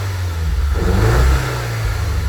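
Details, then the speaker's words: 2012 Audi A5 with new fuel pump, running again after a no-start and smoking badly: uneven stumbling rough pulse when revved, engine light blinking with a cylinder 4 misfire code; PCV valve/oil separator ordered, cause unconfirmed. "I I don't like it done this fire whenever you rev it it blinks the engine light which is a cylinder misfire on this car it's telling me cylinder 4 misfire"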